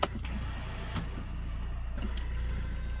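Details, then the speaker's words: BMW E39 after new clutch installation, starting attempt: low even whir with no cranking rhythm, starter spinning without engaging the flywheel; owner suspects a stuck starter solenoid. Starter not engaging. "sounds like it's not even engaging the flywheel listen what the heck the starter solenoid was frozen in still is"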